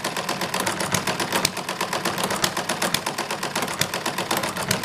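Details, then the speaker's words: Model hit-and-miss engine with 0.75-inch diameter by 0.100-inch thick weights added to the governor counterweights: loud mechanical ticking from the hit-and-miss mechanism, with firing pops between long misses; slowed engine speed, governing normally. "got to be one of the noisiest engines that I've ever built but it's the hit and miss mechanism itself is like making all the noise but you should be able to hear it when it fires"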